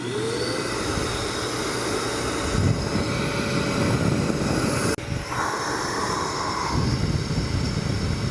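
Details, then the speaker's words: Harbor Freight Hercules 12-gallon HEPA dust extractor: steady roar with a brief dip and tone change as one filter is cleaned by an air pulse while the other keeps operating; normal self-cleaning. "So, what that's doing is cleaning one filter at a time with a pulse of air while one is still operating."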